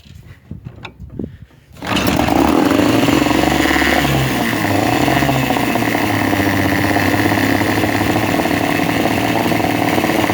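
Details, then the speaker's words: Veterok-12 outboard motor that was sneezing and jerking at idle, after the fix: catches and settles into a steady, even buzzing run with no misses or stumbles; normal smooth idle. "Вот, работает ровно, не чихает."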